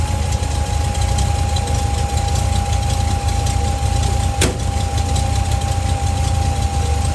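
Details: Mustang with an old 302 V8 idling after a fuel filter change and repriming, fuel pressure gauge reading about 3.5–4 PSI (owner plans to adjust): steady, even deep idle rumble with no knocks or misses; running smoothly.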